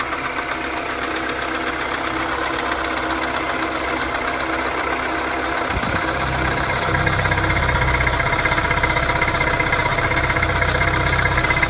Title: Mini cooper 2007 (none S) N12 engine making ticking sounds at idle, any ideas?